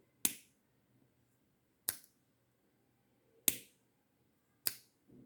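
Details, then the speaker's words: 5V relay module switching two LEDs through its NC and NO contacts via a switch: four crisp single ticks about a second and a half apart, each a clean snap, relay pulling in and dropping out normally. "can hear the tick sound also from the relay."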